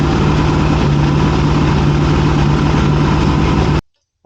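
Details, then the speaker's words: 1981 Yamaha XS650 Special first startup after carb rebuild, fuel from a bottle, weak battery on charger: twin settles into steady, slightly lumpy idle with even low hum, then cuts out; runs well. "friends, as you heard, it runs. And it seems to run pretty well, honestly."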